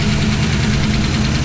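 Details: V8 with Aces EFI, idling after the ECU cam setting was returned to stock. Faint, quick, light valvetrain ticking rides over a steady idle; the owner is unsure of the source.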